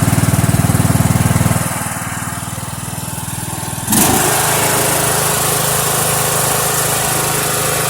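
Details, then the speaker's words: Mower "Filthy" started cold after about two months sitting, oil unchecked, kill wire still unfixed: steady, even single-cylinder beat, drops back briefly, then picks up to a smooth fast run; starts and runs cleanly. "It ain't been started in quite a while. Last time it's been running was on a Mower Monday. I'll have to go back and look. Don't filthy run good."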